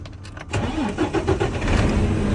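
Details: Freightliner M2 diesel with no-crank fault, clutch pedal switch bypassed by bridging its two wires: short crank, then catches and settles into steady even idle; normal crank and start.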